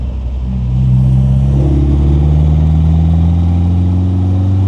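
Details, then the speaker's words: MGA with standard MGB 1800 B-series engine, K&N air filter, newly fitted 123 electronic distributor, accelerating on road: deep intake gulp rising smoothly with revs, no misfire; healthy breathing. "I love that gulp of air from the K&N. It's got acceleration though, hasn't it?"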